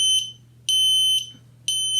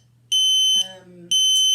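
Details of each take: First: Ventis MX4 gas detector at power-on with pump running: loud high-pitched beeps about once a second, half-second bursts over faint pump hum, checking sensors, lights, vibration; normal alarm self-test. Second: Ventis MX4 multi-gas monitor with the pump inlet covered and the audible sensor partly muffled: shrill half-second beeps repeating about once a second, the pump-blocked alarm, confirming the safety works; it restarts by itself once unblocked.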